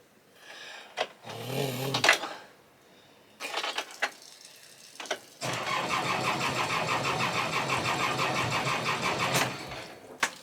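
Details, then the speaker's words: Sailboat diesel engine tested before launch: starter churns in short bursts, then the engine catches and runs rough for a few seconds, staying running only while the key is held turned, then dies; it will not keep running. "sadly it didn't start like it looked like he was but I had to keep the the key like Turned to keep it running"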